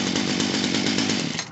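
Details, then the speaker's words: Poulan Pro PP4018 chainsaw at first startup after new carburetor, fuel line and primer bulb, off choke: screams at high revs, wavers, then sags and bogs; running a little lean, high-speed screw needs adjusting. "Need to be adjusted. It's a little bit lean. Hear it bogging"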